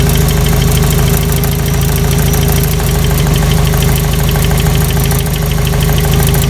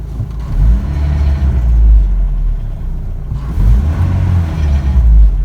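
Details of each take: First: 1985 Toyota pickup 22R 2.4L carbureted, long sat: steady idle with light tapping about three or four a second; owner unsure if chain slap or piston slap, sound changes significantly with number two plug wire pulled; light knock at idle. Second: 1985 Toyota pickup 22R 2.4L after intake cleaner treatment and test drive: deep even rumble swelling cleanly with each throttle blip and settling smoothly; idle and throttle response good though driving not yet perfect.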